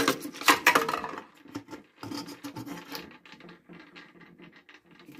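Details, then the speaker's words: Predator 224 engine with a charging coil transplanted from a 196, flywheel torqued and turned by hand; scraping rubs as the flywheel catches the coil wire, fixed by repositioning the wire. "so what i found was my wire just needed to be when i went right here uh it was catching the wire and i could hear it"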